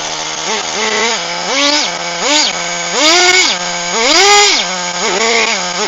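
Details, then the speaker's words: HPI Firestorm 1/10 nitro stadium truck, previously seized engine rebuilt and refitted, after preheat: crisp idle buzz with quick sharp throttle blips revving cleanly and dropping back; engine now running healthy with good compression, though pinion gear was destroyed during warm-up. "well Happy Days okay well that was a real slug although eventually managed to get the engine up and running"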